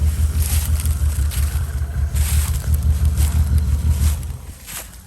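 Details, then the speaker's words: 2001 Lexus IS300 before its 1UZ 4.0 swap, just started on a new battery, smoking heavily: deep, labored rumble pulsing about three times a second while floored the whole time; engine bogging, barely wants to move, cause unknown. "well i had it floored the entire time for real i had it floored the whole time bro didn't want to move huh no she was struggling like hell"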